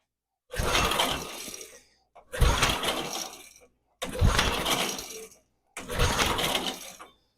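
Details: Barn-find Snapper chipper shredder, 8hp Briggs & Stratton, carburetor jets sprayed out and refitted, choke on: four cranking bursts of about 1.5 seconds each with no firing. Cranks but won't start; carburetor suspected still gummed up.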